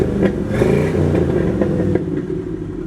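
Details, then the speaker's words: Warmed-up Ford F250 with Flowmaster exhaust: throaty burbling exhaust swells with a light blip then settles; deep, healthy muscle-car tone, normal exhaust note. "it's got a nice flowmaster sound to it"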